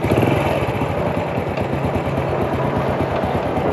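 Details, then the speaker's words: Honda W100 U-box motorcycle that burns oil and lacks power, idling: brisk, steady single with light rattling clatter; owner suspects clutch rubber dampers, also noting cam chain and tensioner noise; plans piston/ring rebuild. "มีอาการเสียงยางยำคัดดังเราก็คงจะต้องได้ทำเครื่องลูกสูบแหวนนะครับคว้าลูกสูบแหวนเปลี่ยนยางกิ้งยางกดโซลลิ้นนะครับ"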